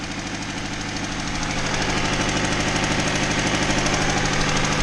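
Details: Honda Civic D16Y7 idling on all four cylinders after plug wires were corrected: sharp, regular puffing tick from an exhaust manifold leak; owner suspects the cast manifold with built-in catalytic converter has cracked.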